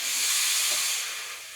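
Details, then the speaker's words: Vax floor steamer running with plain water, no vinegar, before any fix. Thin hiss of steam that fades within two seconds; weak steam output, cause suspected, not confirmed. "no idea about steamers but look at this this is how much steam it produces"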